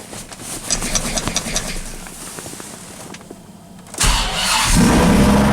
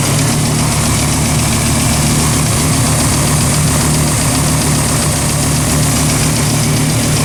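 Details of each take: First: 2004 Dodge Ram SRT-10 with owner-built turbo kit, first start after sitting about five months: uneven cranking then catches into a rough lumpy idle, warning lights on; owner thinks it runs lean and is misfiring from storage, left idling to clear. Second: 2004 Dodge Ram SRT-10 with home-built turbo kit, first start after about five months sitting; initially lean with warning lights and felt misfiring, then left idling to clear; loud deep steady rumble with no obvious knocks or misses; running normally.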